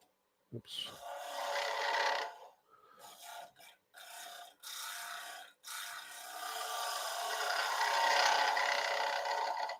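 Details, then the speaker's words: Wood lathe turning a three-corner bowl: rough, raspy cutting with buzzing chatter caused by excessive tool overhang, the tool reaching far past the rest. "can hear that chatter that's the tool overhang it is uh a long ways out there"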